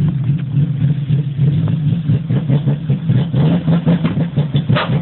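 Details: BMW E30 320i: uneven, stumbling engine beat with irregular missed pulses and a lumpy rhythm; a bad misfire, cause not yet pinned down.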